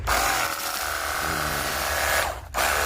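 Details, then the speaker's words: Battery jet cleaner pump after repair (before, it only hummed at the handle and motor, got hot and would not spin or pump water): steady constant-pitch motor whine, briefly interrupted; now strong spray, quieter and smoother. "Siap dipergunakan untuk cuci motor ataupun mobil. dan suaranya lebih kalem ya, lebih halus."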